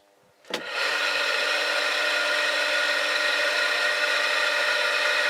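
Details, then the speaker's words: Household pump station that hums but won't start, started by spinning the fan by hand: the motor kicks in and runs with a steady whirring hum and pumps water. The cause was a failed capacitor with broken-down insulation. "Дивіться, насосна станція гудить та не запускається, але якщо насильно провернути вентилятор, то двигун насосной"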